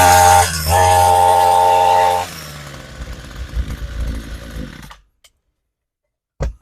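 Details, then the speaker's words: Homelite 26cc UT26CSEMC string trimmer, started with fuel poured into the intake: a brief strained buzz at one pitch that won't rev, smoking heavily, then it dies. Runs poorly; carburetor suspected of needing cleaning. "All right, it started and ran there, but you could see it with a little bit of fuel in there to get it primed, but you could hear it running really poorly and smoking a lot. Couldn't get it to rev up."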